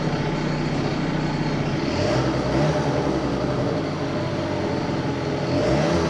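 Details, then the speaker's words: Two-stroke research scooter idling again after cylinder head work (compression ratio measured); steady buzzy putter holding an even idle with slight waver, no stalling, normal idle, though intermittent cutting out persists elsewhere. "Ihme on tapahtunut. Nyt se käy taas tyhjä käyntiä."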